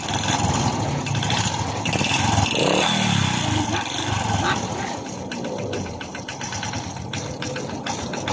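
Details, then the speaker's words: Honda RS125 Fi motorcycle engine revving and settling, then a dry rapid clatter from the lower engine that gets louder on revs; owner reported a knock inside; diagnosed as piston slap from a scored piston skirt. "so kapag nagin ang ating motor guys isulat siang Inay kapag nreb mo lumalakas ang kanyang kalansing sa kanyang makina So ibig sabihin ang problema meron ang kanyang makina guys ay piston slap"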